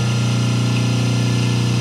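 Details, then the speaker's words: 5 hp three-phase motor run on single-phase 220 V before capacitor balancing, line voltages roughly 189–193, 187 and 385 V: loud, steady low hum with a rough buzzing edge; it strains on badly unbalanced voltages. "the voltage difference, I'm going to show you here, it's going to be quite big"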